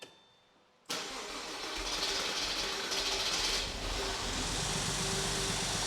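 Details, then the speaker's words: Porsche Boxster base model with a freshly refreshed 2.5 L engine, very first start after reassembly: a steady whirring crank runs for seconds without catching because the fuel system is not yet primed. "mind you we need to Prime the fuel system so it is very much not primed currently it's trying hopefully just one more Prime and it'll go"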